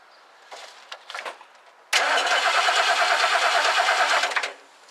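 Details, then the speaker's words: 1969 Lincoln Mark III during a major tune-up, after a new coil is fitted; points are suspected, though a connection is later found loose. The starter cranks steadily for about two and a half seconds with no firing: crank, no start, no spark. "all right there's no spark yet so I think we're gonna have to uh diagnose it probably uh some points"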